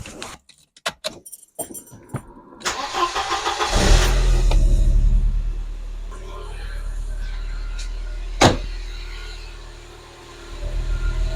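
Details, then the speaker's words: Mercedes-Benz 190E 2.0 (W201) started after replacing the valve cover gasket, which had leaked at the rear left. Starter cranks, it catches and settles into a steady, even idle with no ticking, misfire or visible leaks. Normal idle. "all right so the engine is running in its own way it sounds good I can see no leaks or something the engine is running fluently"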